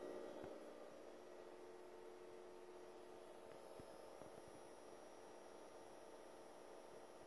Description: Here's a short video illustrating the Coil Whine & Humming noise out of my brand new Fengmi 4K. If no video music is playing, it's very noticeable.